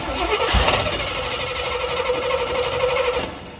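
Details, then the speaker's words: Corvette C3 V8 with carburettor, first start in two years, electronic choke wired to switched 12 V, fuel being primed into the carb: starter whirrs steadily but the engine cranks without catching; owner suspects it needs more priming. "Yeah, I think it needs a little more priming, but see if we can."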